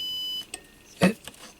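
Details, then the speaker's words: MFJ-994BRT 600 W PEP automatic antenna tuner that works alone but fails with its bias-T connected: a steady continuity tone stops, then probe clicks follow. Weird ground connection found at the antenna socket, which should be isolated; a wire seems to touch the copper. "hello so that is a connection of our antenna socket which is completely weird"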